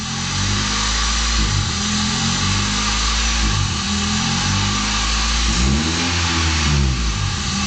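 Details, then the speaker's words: 1990 Honda Accord with new distributor, plugs and wires and cooling system bled. After a throttle blip the high idle swings up and down in slow waves, hunting instead of settling. Faulty idle air control valve, later confirmed as the fix. "As soon as I give it gas, so it goes up and down. There you go. As you can see, it goes up and down."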